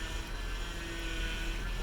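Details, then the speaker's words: 2004 Toyota Highlander, 162,000 miles, idling: faint steady whine over the low rumble, loudest when turning the wheels; power steering fluid very dark, owner plans to replace it but suspects something else. Cause unconfirmed. "but you hear there's like a little noise and and if you and if you turn turn the wheels this is where you hear it the most"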